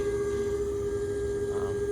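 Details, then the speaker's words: Twin-turbo Audi R8: steady pure high whine at one pitch over a low hum from the intercooler coolant pump and sump, normal operation. "Oh, and you can hear right now that whining. I don't know what just happened to my video, but I was coming up here to show you that sound you're hearing."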